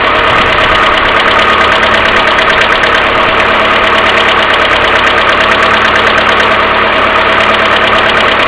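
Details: Mercedes A-Class W168 1.6 petrol, cold engine idling without throttle: light fast ticking knock about three per second, plus continuous timing chain tensioner hum; cause was hydraulic valve lifters, fixed by replacing them.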